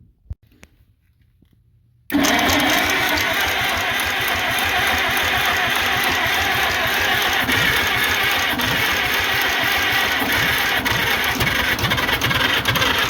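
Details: International Harvester McCormick 64 pull-type antique combine engine, starter just refurbished (brushes polished, greased, oiled): after a pause the starter grinds in and spins steadily at a fast whirring beat without firing; long crank, no start.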